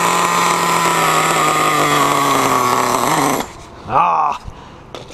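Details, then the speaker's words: Nitro-engined RedCat Tornado S30 RC car, started cold after sitting a couple of hours on a not-hot day: high buzzy steady drone then a quick blip rising and falling; the cold engine runs slightly rich while warming, a little cold-blooded. "so she's a little cold-blooded"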